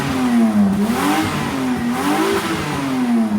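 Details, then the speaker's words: Car with a leaking exhaust after a tape repair that blew off: loud, raspy engine note rising and falling with revs, with blatty puffing on top, still slightly quieter than before; exhaust leak. "The tape's blown off. Oh, what a piece of junk. What the crap? Oh, I mean, it's still slightly quieter even as is."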